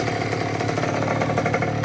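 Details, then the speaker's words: 2006 Honda CR85 two-stroke freshly rebuilt with Wiseco kit (new crank, piston, seals, bearings, gaskets), idling during first break-in heat cycle after choke start: crisp, even popping, quiet, no misses or rattles; normal idle. "The engine sounds nice and quiet. No rattling, wrapping noises. It's idling nice."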